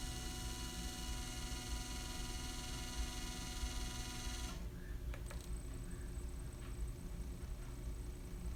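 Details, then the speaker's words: Camera slider drive gives a thin, steady high chirping screech like a cricket over a low hum for about four and a half seconds, then cuts out; owner wonders whether the motor or the belt is the cause, unconfirmed. "that why is it screeching like that don't you guys hear that isn't that weird like the chirping yeah trying to figure out why that's the noise I was hearing I wonder if that's the motor or if it has something to do with the belt"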